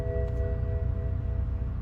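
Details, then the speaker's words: BMW 750i with the N63 twin-turbo V8: steady ringing dash chimes over a low engine rumble, the warnings for low coolant and low engine oil levels. "oh my Lord stop it stop dinging at me this car is so angry"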